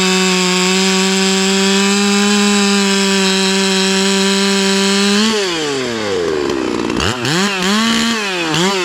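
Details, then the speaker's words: Ported Hypo 660 build chainsaw with added third muffler port and stock chain, cutting a roughly 18-inch dry log: steady high scream that dips and recovers as the chain goes through knots on the up cut; pulls strongly, healthy. "hmm she's spinning up pretty good you see all the uh knots that cut through us that second that up cut was a straight knot cut"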